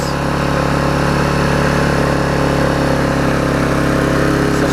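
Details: Vulcan 18" mower's 3.8 horsepower two-stroke, revived with a new intake pipe and a freed rusted flywheel/magneto, runs with a smooth, steady buzz, no surging or dropouts; running well.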